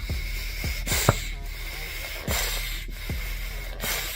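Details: Apisolis bee vapor smoker, electric vaporizer, activated by three squeezes: soft hissing puffs repeating every second or so, short and clean with no sputter; puffing normally.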